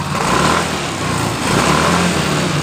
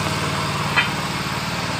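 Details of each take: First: Yamaha Mio Fino that stutters (brebet) when hot, normal when cold; after injector/fuel pump priming (key on three times) and restart, engine revs up and down smoothly with clean throttle response, though idle still sits high. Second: Yamaha Mio Fino injection scooter that stuttered when hot, after throttle body cleaning: runs normally now but idle stays high, quick steady tick-over that never settles; manual ECU reset by disconnecting battery planned.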